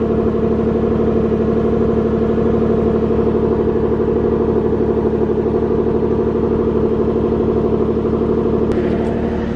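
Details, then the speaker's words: Nissan 370Z Nismo with single turbo, raised and run in gear to check for the rear whine: steady whir with no rising whine heard and the ABS tripping; not traced to wheel bearings or differential, tires possibly suspected. "I don't hear nothing I don't know I could be the tires too guys I don't know I'm just throwing anything out there yeah I don't hear anything"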